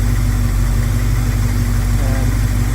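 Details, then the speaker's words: 1971 Plymouth Scamp after fixing vacuum leaks, timing unchanged: smooth even V8 burble, steady rhythm, no miss, healthy idle; minor oil seep at a bolt. "I'm amazing how well it runs with the no vacuum Le doesn't sound like she's missing"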